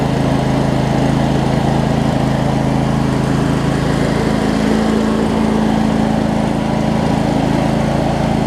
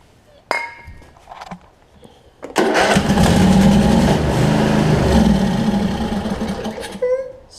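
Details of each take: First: Craftsman DLT 46" riding mower, 25hp Briggs and Stratton V-twin, first run after sorting basketcase wiring: steady, even drone at constant speed, no misses, knocks or surging; runs good, some smoke burning off around valve covers. Normal running. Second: Craftsman DLT 46" riding mower, 25hp Briggs and Stratton V-twin with messed-up wiring: catches on sprayed starting fluid, runs rough about four seconds, then dies; runs on starting fluid only, fuel supply problem suspected, not confirmed.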